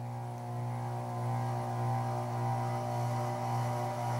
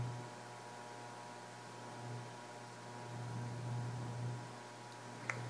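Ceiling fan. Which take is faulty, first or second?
first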